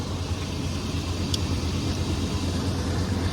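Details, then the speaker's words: Chevy OBS truck not run for about 1.5–2 years, started with a small jump pack: an even, low rumble at a steady idle with no knocks, misses or squeals. It idles smoothly and sounds healthy. "She sounds good. That's all I needed was this little jump pack from Amazon."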